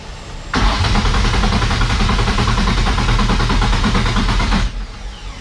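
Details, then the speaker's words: Nissan S13 with a swapped VQ35 engine, spark and fuel-pump priming confirmed, fuel under a quarter tank and a fuel problem suspected: the starter turns the engine evenly for about four seconds and stops, cranking with no start. "the battery's charged now we just tried it we saw it cranks but it still does not start"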